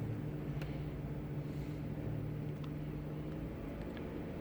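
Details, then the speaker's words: Mercedes, non-4MATIC, 88,000 miles, customer complaint about the cooling fan, fan already replaced by a shop: scanner actuates the electric suction fan at 50 percent, giving a quiet, steady, even medium-speed whir with no rattle or surging; normal operation. "I do hear the fan on fan is on and it's about a medium speed"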